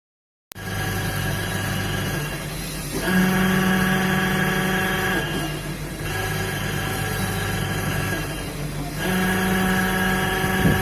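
Loud droning hum with a humming tone that shifts every few seconds as the wash reverses: a worn gearbox.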